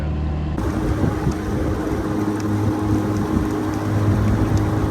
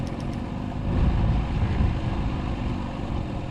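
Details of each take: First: Bass Tracker boat outboard on its first run after restoration, cruising on a run of about four miles without issue. Steady, even drone at one pitch over wind and water noise, no misses or surging. Owners note it wants to die at idle and suspect the in-tank fuel filter. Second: Outboard on a restored Bass Tracker boat, idled down on the water, still needs choke to start: low, uneven, lumpy idle with surging level, nearly dying; owner suspects it lost its fuel prime, possibly an air lock.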